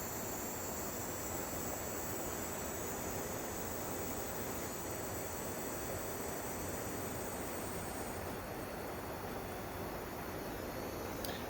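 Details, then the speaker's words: Sim2 HT300E projector that runs briefly, shows a green picture, then shuts down, powered up after a fan cleaning: steady airy whir with a thin high whine; first thought to be the color wheel, now suspected to be failing capacitors, unconfirmed. "Maybe that's not the color wheel making that noise. It sounded like it was coming from in there. I bet we have some bad capacitors or failing capacitors."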